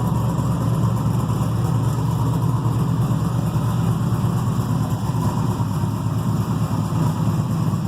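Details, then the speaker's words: Freshly built carbureted 6.0 LS V8 with mechanical fuel pump and distributor, stock crank, rods and rocker arms, 10.48:1 compression, heavier pistons, solidly frame-mounted: steady deep smooth idle, no misses, knocks or vibration. "i figured if there's any uh uh balance issues it should vibrate your teeth and it doesn't it seems like it uh is nice and smooth"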